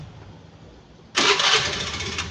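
Quiet before a brief starter whirr, then the scooter catches at once and settles into a smooth, steady idle with no hesitation.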